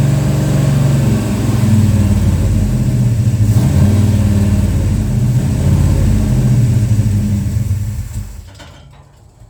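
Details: Plymouth Road Runner V8 after engine overhaul, timing heavily advanced after seeming too retarded, near operating temperature, owner mentions pre-detonation: deep, lumpy idle that lopes and wavers unevenly, then dies away. Rough idle, cause unconfirmed.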